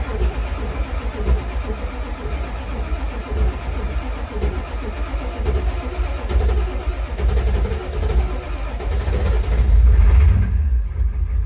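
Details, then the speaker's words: Ford Super Duty 7.3 Powerstroke diesel, after replacing a burned glow plug control/relay that caused crank-no-start and no wait-to-start light: engine catches and settles into a steady, even diesel rumble with no misses or knocks; normal start and idle. "así que ese fue el problema lo cambiamos y una vez cambiado el camión arranco normal"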